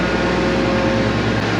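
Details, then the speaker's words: Combine idling after a winter start and left to run about five minutes: an even, steady low rumble with no knocks, misses or surges; a smooth, healthy idle. "That's great. It sounds so great. I'm excited for this summer."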